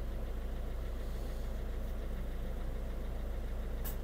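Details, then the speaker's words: Citroen C3 1.6 HDi diesel idling, AC switched on while chasing fan fault P0483 that sets when AC is toggled; soft click and slight load change as the AC compressor engages, AC works well, normal compressor engagement. "on entend bien le compressur déclencher la clim elle marche bien"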